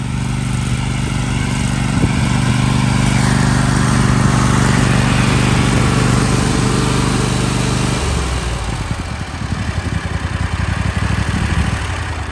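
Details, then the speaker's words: Toro MX5050 zero-turn, Kohler KT735 24 hp V-twin with smart choke, hot after mowing, after fuel solenoid pin restored and brake box replaced: deep V-twin thrum winds down cleanly at shutoff with no backfiring or sputtering. "Now after mowing some, the motor's hot. Whenever I shut it off, it should shut off just like normal with no backfiring, sputtering, or anything."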